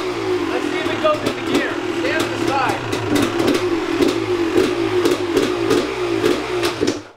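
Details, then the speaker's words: 2001 Gas Gas EC300 300cc two-stroke dirt bike, rescued after sitting outdoors, first start after work: crisp buzz rising and falling cleanly with each throttle blip, no misfire or rattle; runs healthy, though the clutch does not disengage. "Did you hear it run? It ran. Sounds nice too."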